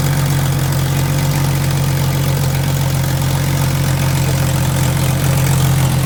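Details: 1990s Jeep, recently revived after being found stripped and partly dismantled, started after priming the fuel system: the engine catches and settles into a steady, even low idle with a smooth rumble and no knocks or misses, normal idle.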